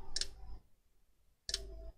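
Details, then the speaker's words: HP 15-r101na dead laptop board fed 19 V at about 2 A from a bench supply on the connector: two bursts of sharp ticking clicks as the supply trips against a short after the second MOSFET; shorted rail. "let's put the power on the connector yeah plus minus and check there it's clicking"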